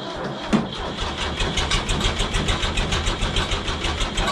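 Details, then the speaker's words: Ford tractor diesel on a cold cold-start, not plugged in and with no block heater: steady, sluggish cranking at about three turns a second with no firing. Slow cold cranking, no start; cause not confirmed. "It's gonna crank slow, that's nothing new, but these Ford DLT batteries that Ford went with are great because they will crank and crank and crank and crank some more."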